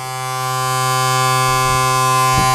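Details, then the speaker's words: M35A2 deuce-and-a-half truck in cold, snowy weather, unstarted for a few weeks: with the battery switched on and the engine not running, the ignition warning buzzer gives a steady, harsh, even-pitched buzz before cranking. This is normal. "First thing we'll do is put our battery on and probably hear the loud noise of the buzzer."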